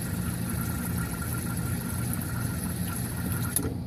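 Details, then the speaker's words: Modular ice maker (Whirlpool/Kenmore/Maytag/Frigidaire type) cycle test via jumpered test ports: steady low even hum for several seconds with no catches or rattles during water fill; water pump confirmed working. "and now the waters done so I know my water pumps working quite happy about that"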